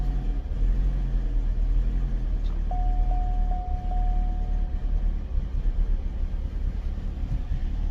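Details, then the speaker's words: Chevy Cobalt SS after engine replacement, which had a slight misfire with the scan tool pointing to the cylinder 3 fuel injector, started after troubleshooting; very low, likely old fuel, seems rich: steady even idle, no misfire, runs much better. "definitely runs a whole lot better"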